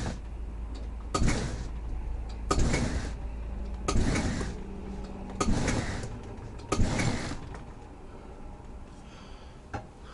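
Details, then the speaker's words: RV slide-out extending after snow and ice, checking that the top seal is not frozen: low motor drone in short pulls about every 1.5 seconds with soft clunks, no grinding or binding; slide-out runs normally. "this is pretty good let's go ahead and head back outside it actually sounds pretty good I think it'll be okay now"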